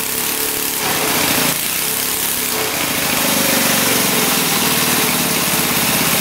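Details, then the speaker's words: Barn-find minibike's small single-cylinder engine, sat 20-25 years, after valve work (valves had been tight): runs at a fast even beat but flat and strained; still lacking power, owner suspects the scored cylinder wall causing low compression. "Alright, unfortunately, it's pretty much doing the same thing. So, it's just lacking power. And I think it's due to the scored cylinder wall."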